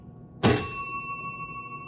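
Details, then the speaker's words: 1948 Chicago Coin Catalina electro-mechanical pinball machine under restoration: one clean strike, then a bright ring fading evenly over about 1.5 s from the bell under the playfield when the target scoring 10,000 is hit; bell working normally. "there's a bell underneath the Playfield that also rings when you hit that"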